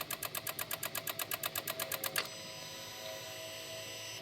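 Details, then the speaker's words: 2016 Honda HR-V no crank no start: rapid buzzy relay clicking about eight per second for two seconds, then stops dead; brake pedal quiets it, car reads neutral not park, cause still being chased. "Let's try and prove it out again cuz the relays are going nuts. Relays are going nuts here."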